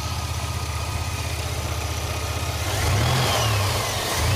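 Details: 2002 Chevy S10 Blazer engine: even idle, then a thin whine rises and falls with engine speed on acceleration. Whine following rpm, source not found.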